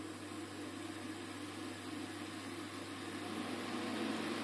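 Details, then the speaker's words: IKEA Tillreda portable induction cooktop heating a pan after more water is added: steady airy cooling-fan whoosh over low mains hum, growing slightly louder at the end as the fan comes back on. "Chuck some more water into this just to slide down a bit and we'll see the fan comes back on if it gets that harmonica in"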